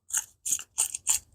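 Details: Worn throwout bearing on a John Deere crawler drive clutch, spun by hand: five gritty, ratcheting bursts of rough bearing noise.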